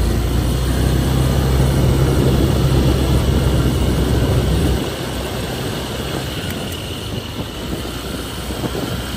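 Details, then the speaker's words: Honda Airblade 150 scooter on a test ride after the front brake caliper was cleaned and new brake pads fitted: steady running noise, with the earlier front metal-on-metal scraping now gone. "Goods. Wala ng ingay."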